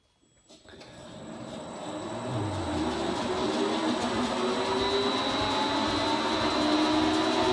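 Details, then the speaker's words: LeBlond 19-inch lathe with 5 hp motor after new motor bearings, fresh 30-weight gearbox oil and cleaning, run on a temporary 5 hp Allen-Bradley drive after perhaps ten years idle: spins up to a steady quiet hum with light gear whine and faint high tone. "after we read down the motor it's pretty quiet everything seems to work real good"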